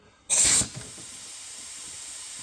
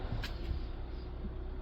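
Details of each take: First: 2017 Kia Soul 1.6 GDI non-turbo leakdown test, piston at TDC, 90 psi: short air blast then steady faint hiss; intake valves stuck open in a gummed-up valve train, plus slight ring blow-by at the breather. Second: 2017 Kia Soul 1.6 GDI non-turbo after valve clearance fix for low compression and misfires, fresh oil change: low even idle without shaking or stumbles, slight lifter noise; no misfire yet, running smoothly.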